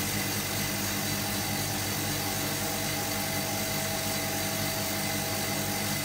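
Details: Hotpoint Supermatic De Luxe 9414 twin tub, final spin after fitting new belts: a steady even whirr, with no knocking or scraping; spin drum and belts run smoothly.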